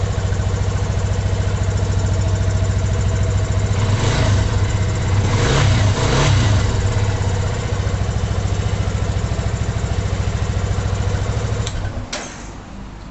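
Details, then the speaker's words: 2020 Yamaha Fazer 250 that intermittently would not start, code 12 (no crankshaft sensor signal): after replacing the starter brush it starts immediately, steady even single-cylinder idle about three and a half pulses a second, brief blip, then shut off; fault code cleared. "vou est acionando aqui agora o motor de partida vamos ver se vai funcionar agora depois de ter feito a troca da escova de arranque Lig imediatamente"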